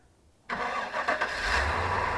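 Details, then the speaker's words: Nomadic Fanatic's RV after new injectors and intake gaskets were fitted: on a dead cold start the engine fires at once and settles into an even, steady idle with no misses or knocks and no check engine light. "looky there no check engine light that is a dead cold start and it sounds good"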